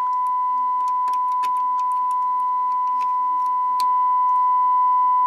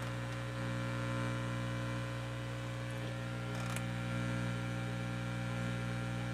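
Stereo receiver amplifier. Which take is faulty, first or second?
first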